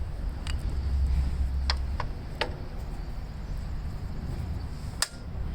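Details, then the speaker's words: Gravely tractor engine, project machine, turned over after WD-40 on seized-free shaft; sparse sharp magneto impulse clicks over low rumble, generator turning fine, magneto clicking so possible spark. "yeah Magneto is clicking there might be a slight chance that this thing has spark I don't know"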